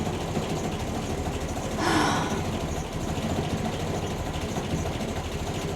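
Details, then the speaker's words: Land Rover Series 2a station wagon, likely Weber carb, warming at tick-over with no temperature gauge: uneven lumpy idle with wavering beat and stumbles, made to sound worse by exhaust behind the mud flap; mixture too rich, rough idle. "So, it don't sound happy, does it? As I say, it is made to sound worse cuz of that mud flat."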